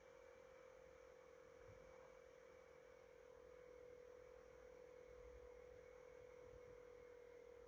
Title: Weird cpu fan sound GE66 Raider